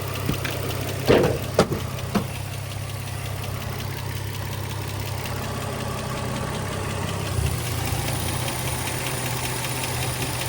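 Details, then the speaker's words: 2004 Infiniti G35 sedan 6MT (VQ35DE), driven 1,200 miles home and a couple thousand more, fresh oil change done. At idle, a light uneven tick around two per second from the valvetrain; owner suspects a lifter tick, not confirmed. "I already did a fresh oil change on it and I still got the lifter tick."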